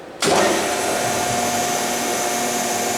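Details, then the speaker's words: P&H Hydraulic Automation PHJ424204 2-post down-acting hydraulic press, pump motor started and left idling: spins up instantly into smooth even hum with steady mid tone, no knocking or whining; pump idling normally. "I'll start the pump motor up. And again, there's the main manifold up there, pressure relief valve, pressure switches for the operational aspect of the machine. And that's it. We'll fire it up. Let's let it idle."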